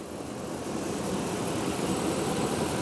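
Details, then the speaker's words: 2008 Dodge Ram 1500 SLT V8 with 6-speed manual, low mileage, fresh synthetic oil service, hood open at idle: a steady, even smooth low rumble with no ticking or knocking; the engine sounds healthy. "And yeah, you can just listen to it idle. There's no abnormal ticks or anything. It sounds great."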